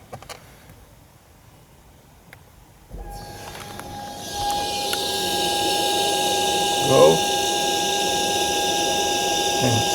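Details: VW Golf 7 1.6 TDI, crank no start with P025A; after replacing the fuel pump control module, no fault code, transfer fuel pump tested via basic settings: quiet, then a steady mid-pitched electric hum holding evenly; pump runs normally.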